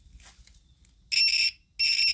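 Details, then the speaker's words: Multimeter continuity test while diagnosing a non-starting table saw's switch: two clean shrill beeps about a third of a second each as leads touch; tester working normally. "there we go so you know it's working all right"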